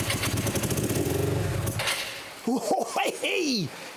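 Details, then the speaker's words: Hyosung 125cc V-twin motorcycle, first start after standing two years, carbs cleaned, on choke: coughs into life with a lumpy uneven beat then fades; owner suspects running on one cylinder. "something's happening folks sounds like it's only on one cylinder to me"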